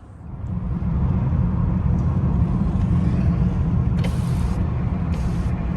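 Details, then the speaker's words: 2011 BMW 328i (N52-family engine) with 144k miles, driven after the repair of a rattle heard at around 25 mph: steady low engine and road rumble with no rattle or knock at low speed. "so here's a clip of the car driving once the part has been replaced and it doesn't make any more noise"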